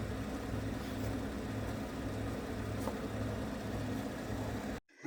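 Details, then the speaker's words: 1969 Ford F100 with 360 V8, four-speed manual, long sat unused: weak slow cranking at two to three turns a second, no firing after cables were replaced; ignition module suspected, not confirmed. "Uh, we are still not getting fire, and this battery is getting kind of weak now. We're not getting fire. Most likely it's this module down here."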